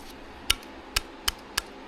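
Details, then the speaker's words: Removed upper strut top mount bearing from a 2004 Volvo XC90 2.5T AWD with Bilstein B6 struts, 15 months old, rocked by hand on the bench: four sharp metallic clicks from excessive raceway play; it spins far looser than the new one. Worn bearing causing popping during low-speed turns. "Yep. It spins a lot more than the new one does. The new one's much tighter. And then I was also noticing there's a lot of play in there. You hear that? Between here and here."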